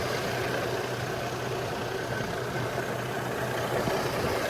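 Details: Chevrolet Trailblazer/Envoy after a 4.2 engine swap. Smooth, even low idle with a soft steady hum and no ticks, knocks or stumbles; it runs really well with no check engine lights. Normal idle.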